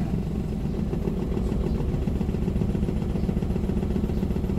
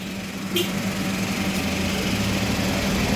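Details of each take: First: Toyota Wigo with a blinking check-engine light, idle around 900 rpm against a normal 750, AC on: idle shakes with an uneven low rattle and stumble; cylinder misfire from an open-circuit injector wire. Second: Toyota Wigo after replacing damaged wire (previously check engine light, misfire, rough idle ~900 rpm vs normal 750): engine idles evenly, steady hum, no stumble or rattle; smooth.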